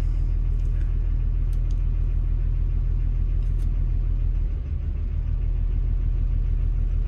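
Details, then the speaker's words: Diesel construction machine idling with a deep rumble, steady knock about three beats a second and black smoke; suspected injector knock, individual injectors being cut via laptop, not cylinder one, five or two. "bit of a diesel knock bit a black smoke beling out of it too so we'll see I click number one still got smoke still hear the knocking noise"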